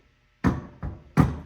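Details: Three hard metallic bangs as a mini bike engine is turned backwards by hand and will not rotate; a broken connecting rod jamming inside, with a large hole in the case.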